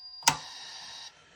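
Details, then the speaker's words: ColecoVision with black screen, no video: a steady high-pitched tone from the sound chip hums on, broken only by a switch click; board not running, owner suspects CPU but could be switch or RAM. "Yep. And you can actually hear the noise coming out of it. So right now it's just a black screen."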